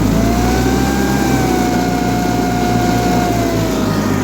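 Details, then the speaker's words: John Deere 316 tractor, air-cooled Onan engine, hot after working: held at about 4000 rpm with steady strained tone that won't settle; governor overspeed as heated gear spins by itself, dumping too much fuel. "can hear it's running about 4 000 RPMs there which is really hot especially with these Odin air cooled edges"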